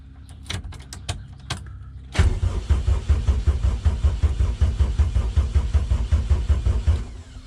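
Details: Honda K20-swapped EF hatch, first start attempts after wiring the fuel pump, relay clicking: the starter churns the engine in steady pulses for about five seconds but it never catches; spark is confirmed.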